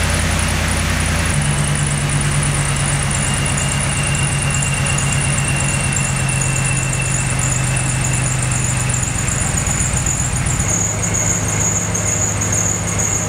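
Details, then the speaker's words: Truck with a ProCharger supercharger on a serpentine belt of about 3,500 miles, including a track day, at cold start: steady high squeal over the idle that fades toward the end; the worn belt squeaks until the truck warms up. "When you start the truck, you get kind of this squeaky belt sound until the truck warms up"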